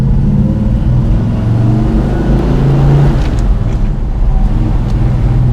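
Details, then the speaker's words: V8 on road test after alignment and a complete new dual exhaust system: deep, steady rumble pulling smoothly through the revs, no knocks or misses; sounds healthy. "Sounds good so far. We had the alignment done on it. We had done a complete dual exhaust system."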